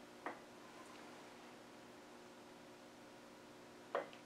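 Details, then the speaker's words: Salisbury axle on the bench while the crownwheel backlash is set with a dial gauge zeroed: two light metallic clicks as the crownwheel rocks against the pinion, the normal backlash clunk. The pinion may be slightly loose. "next we're going to look for backlash and turn this a little bit so you can perhaps see our backlash going on here"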